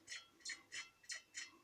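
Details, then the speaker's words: Lada Niva 2131 rear driveshaft connected to the rear axle gearbox and rocked under load: sharp dry creaks about three per second from the worn rear universal joint, which needs replacing. "А вот здесь у нас уже идет вот этот звук, который постоянно при напряжении от машины напряг. Очень хорошо слышен."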